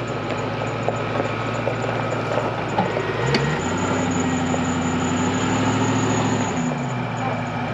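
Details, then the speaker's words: 1995 Range Rover Classic 4.6 V8 after a new oil pump gear, primed with Vaseline because prime was thought lost: even idle, a brief blip raising the pitch then settling back, no knocking or ticking; normal running. "now we're all primed up lubed up good to go Vaseline in there but I'm happy to see this guy back going"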